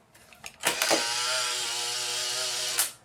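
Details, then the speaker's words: Polaroid SX-70 Model 1 drive motor before overhaul: a click, then a thin laboured whir of about two seconds ending in a snap; slow, tired motor needs reconditioning. "but yeah that motor at the very least needs doing"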